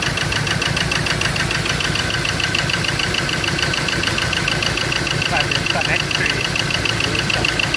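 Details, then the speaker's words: Ford Ranger diesel idling roughly with an uneven, lumpy beat: only cylinders three and four firing, cylinders one and two dead with no electrical pulse at their injector wires; wiring break or short still to be traced. "so i did get it to start but i it only fired on two cylinder in on um four three and four two one and two is not firing"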